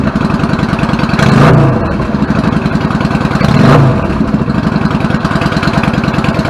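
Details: 1999 Yamaha V-Star 650 Classic, 650cc V-twin with twin carbs and 16K miles, after cleaning pilot jets clogged from sitting: a steady, even idle thump with two clean throttle blips that settle smoothly; fixed.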